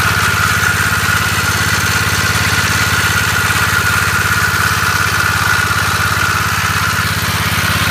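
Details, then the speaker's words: Gravely 814 engine, which previously locked up while mowing, running a few minutes after refitting: very loud, harsh steady drone with a thin high ring, no speed change; it then seems to have seized. "Well guys, I had the 814 here running for a few minutes, and it's just really loud, so I turned it off, and it seems like it's seized up."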